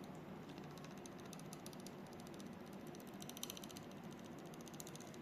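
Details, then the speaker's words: Edelkrone SliderPLUS V6 motorized camera slider: quiet, fast, uneven ticking and scratchy grinding as the carriage moves when pushed, pulled or motor-driven; source unknown, owner unsure how to disassemble. "When we adjust the position look sound like this. I don't know. Feels like something are um grinding or what's just some weird sound happening over here."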